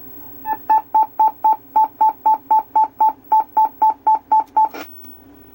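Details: 3DO game console gives a fast, even run of about sixteen high beeps, roughly four a second, at power-on, like Morse code. The lens was checked and found good, so it is not the cause.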